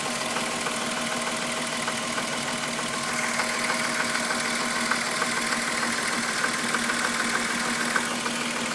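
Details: VW Golf VR6 2.9, 103,000 km, idle: a dry, slightly irregular rubbing tick over a steady note, like a timing chain dragging on its guide. The rub worsened after the upper hydraulic tensioner screw was replaced. Suspected, not confirmed.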